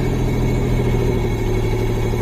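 Engine catches and settles straight into a steady, smooth low hum with no knocks or misses; sounds like a healthy idle.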